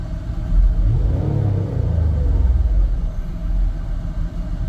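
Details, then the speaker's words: 2003 Mazda MPV with rough-idle throttle body issue, now idling smoothly without stalling as the AC compressor loads it, dragging it down a little; low steady idle rumble, no stumble. Normal idle with AC load. "turn the AC on the compressor is dragging a little a lot I can feel it but you know it's that's old"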